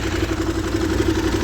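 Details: Used Husqvarna SM610 supermoto single idling: fast, regular metallic tapping over the idle thump; engine knock, source not yet identified.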